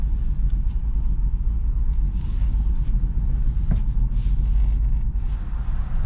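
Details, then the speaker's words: Ford Escape V6 brought back after having no battery, so no stored codes: deep, uneven rumble with an unsteady beat and backfire pops; runs very poorly, cause not yet found. "but yeah this thing does run very very poorly there we go now i can see and you can see smash oh yeah it's running bad you hear the the backfires not good"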